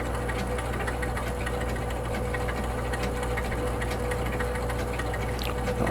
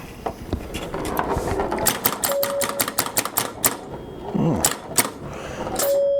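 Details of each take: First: 1962 Vaga Bond electromechanical pinball machine after reset, giving only one-ball games; steady low motor hum with faint mechanical buzz that never cuts off as the reset motor keeps running, cause not yet found. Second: 1962 Vaga Bond electromechanical pinball machine under repair: quick irregular snapping clicks with short bell tones; a pop bumper firing crisply and lighting up, normal operation.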